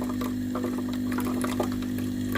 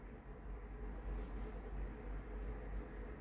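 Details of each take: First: Philips GC9622/20 steam iron, boiler cap removed for testing: steady low buzzing hum with even ticking and a trickle of water into the boiler; pump running and delivering water normally. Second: Philips GC9622/20 steam iron, customer reports no steam: at power-on a valve reset sound, then a steady buzzing hum as the pump runs while the electrovalve clicks but no steam comes out; water pump not delivering water, later replaced.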